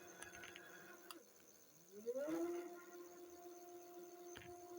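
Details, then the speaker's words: Jasion EB5 Plus e-bike hub motor with 95 miles; it stopped working, was freed to turn again, and is now loud with rubbing. A quiet whine climbs, then a steady hum fades in and out. The owner suspects a bad motor; not confirmed. "this one with what I assume is a bad motor has got sounds like a motorbike going down the street"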